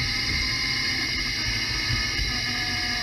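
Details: Mercedes E500 4MATIC driving at about 25 mph with a ChassisEAR microphone clamped at the rear axle. A steady hiss with a faint whine sags as the throttle is released, the deceleration driveline whine suspected to come from the rear differential, not confirmed.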